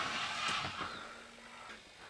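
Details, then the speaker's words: RC Volvo A40D dump truck model driving: thin high electric whir with sharp irregular clicks from the drive motor gearbox gears, slip clutch screwed solid; drive motor needs replacing. "The steering servo might still be a little bit weak, and you can hear the gears clicking on the drive motor, so we're definitely going to need to change the drive motor at some stage,"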